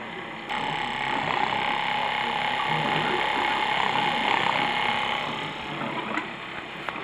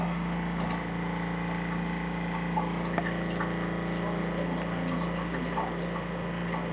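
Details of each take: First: Flojet LF-12 water pump on 9 V 1 A (may run quicker on 12 V), tank emptied: steady buzzing pump note with a fast rattle, about 220 per minute, keeps running because it can't build pressure to shut off; pump running dry, not cutting off. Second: Flojet LF-12 small diaphragm water pump under test with new pipe connections, powered at only 9 V 1 A rather than 12 V: a constant low buzzing drone with a steady pitch and no stutter or rattle, running normally.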